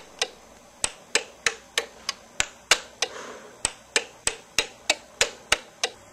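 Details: DUO 14 Premium 2-bit relay computer in slow mode, go-to command resetting ROM address to zero: sharp dry relay clicks about three a second, fairly even with odd gaps, quiet room; normal switching.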